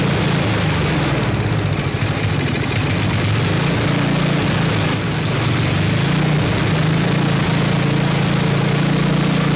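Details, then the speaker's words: 1979 Toro 826 snowblower, 8 hp Briggs & Stratton, after carburetor cleaning: steady, even low chug throughout with no misses or knocks; runs strong and started right up, but not idling, owner says out of adjustment. "it's definitely not adjusted properly so we need to figure out what why it's out of adjustment it's not hitting idle this but it runs strong right started right up"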